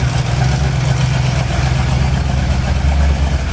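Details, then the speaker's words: Freshly rebuilt Ford 351 Windsor for an XW Falcon, on an engine stand with its original manifold for running in: deep, steady V8 burble at idle, even firing with no knocks or ticks; needs tuning but all vital signs good. "Sounds absolutely beautiful. Needs some tuning work, but all the vital signs are good."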